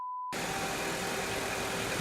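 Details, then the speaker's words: Lada Largus under restoration, first engine start after standing 7 months, wing and strut removed: steady, even idle with a soft, unbroken hum and no knocks or misses, running like clockwork; normal idle. "как часики. Вот тебе пробег. Главное, она завелась."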